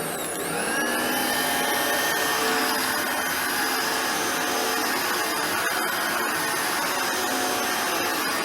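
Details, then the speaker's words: Hoover Turbopower Boost U2718 vacuum motor after full stripdown and refurbishment, reassembled with fan fitted: steady high whine spinning up smoothly, no rattle or scraping; spin-down no longer rattly, runs smooth and healthy. "that works very well as you can hear the spin down is no longer rationally and horrible it's got a lovely smoothness to it"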